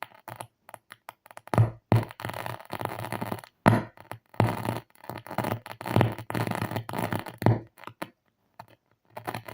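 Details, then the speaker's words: Audioengine 5 powered speaker on 230 V fed an audio signal: choppy, buzzy, crackling playback over a steady low hum, still harsh at low volume; blown speaker driver. "yeah that doesn't sound good so clearly that's something wrong"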